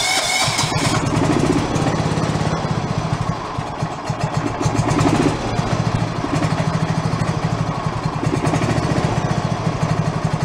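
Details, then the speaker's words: Revived free John Deere lawn tractor engine, idle speed adjusted up after being too low, letting it build oil pressure: small engine puttering at a steady, even idle without stumbling or hunting; normal idle. "come out here the idle speed has to be too low yeah right about there"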